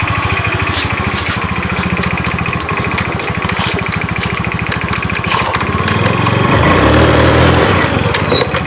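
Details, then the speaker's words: Honda Scoopy-i scooter: the engine chugs and stumbles and won't pull when the throttle is opened. The mechanic suspects crackling spark electrics at startup. "แต่ผมรู้สึกว่าผมจะได้ยินเสียงณตอนสตาร์ทรถอ่ะเหมือนเสียงไฟฟ้าสปากันนะแตกๆอ้ะ"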